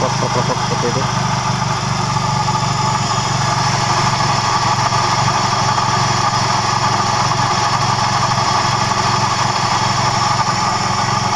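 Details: Toyota Vios engine running: constant rough, gritty grating over a steady idle from start; worn, dry AC compressor clutch pulley bearing.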